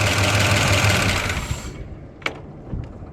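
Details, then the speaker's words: Jeep J20 running, battery disconnected to test the alternator: steady lumpy idle sags and dies within two seconds, leaving scattered clicks; the engine cannot run on the alternator alone, confirming a failed alternator, to be replaced. "the alternator has enough power that the vehicle should run just off of the alternator. So, what's going to happen? So, I'm going to disconnect this battery. It's going to die."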